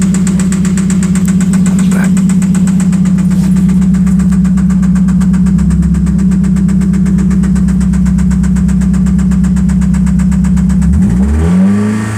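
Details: 1991 spec Mazda Miata at idle: sharp regular knock about four times a second on the engine note, from inside the engine; oil pressure still good, cause not yet found.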